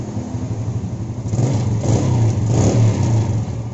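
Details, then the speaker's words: Yamaha Jupiter Z that wouldn't idle, started hard and fouled its plug black, after fixing the fuel tap: it starts on one kick and idles with a stable, even low putter. "engkaulah nyala-nyala terus langsamnya juga stabil"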